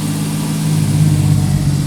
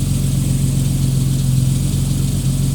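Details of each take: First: 1989 Jeep Cherokee XJ Renix 4.0L on a very cold start: steady fast idle around 2,000–2,500 rpm for 30 seconds to a minute before dropping; cleaning didn't fix it, idle air control valve suspected and replaced. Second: 1989 Jeep Cherokee XJ, Renix-era 4.0L, on an 11° cold start after replacing the idle air control valve. It previously idled at 2,000–2,500 rpm on cold starts; now an initial higher rev drops back to a smooth, steady normal idle. Fixed.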